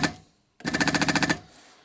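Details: SU electric fuel pump from a 1975 Jaguar XJ6 that kept stalling, bench-tested on a power supply after reassembly with points lined up: rapid, even chatter of sharp clicks, about fifteen a second, then a clean stop; pump working normally.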